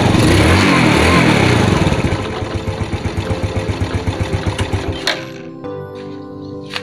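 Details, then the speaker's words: Yamaha Vega ZR that had been stuttering (brebet), test-ridden after the fix: the single cylinder pulls cleanly with a steady, even beat of about four pulses a second, then settles toward idle with no stutter. Normal running. "oke mas bro tarikan pertama anteng motor terasa enteng juga oke sepertinya"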